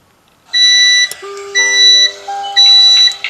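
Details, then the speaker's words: Prepaid electricity meter low-credit alarm: three high, piercing beeps about a second apart, warning that the token credit is used up, picked up by a token-empty detector that then announces "token habis, silakan segera isi". "Oke jadi dia begitu mendengar bunyi bip token listrik habis silakan segera isi"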